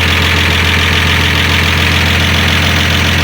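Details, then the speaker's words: 1965 Dodge Dart, 225 cid Slant Six, after new heavy-duty distributor cap and NOS rotor, 6–7 ft straight pipe, no muffler; loud, even, steady idle with smooth low thrum and no misses: normal idle. "Ah, yes, that lovely sound, that awesome sound of the Slant6."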